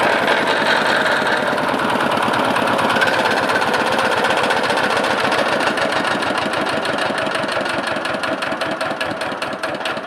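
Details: Lister LD1 single-cylinder air-cooled diesel, 4.75 hp at 2000 rpm, about 65-70 years old, driving generator: loud fast clatter about four beats a second; chain flapping, not internal engine knock.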